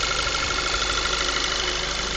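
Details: 2010 VW MKV 2.0 TSI, about 1,000 miles, APR stage I and Neuspeed intake, warm after driving: steady thin high-pitched whine at idle; water pump failing suspected.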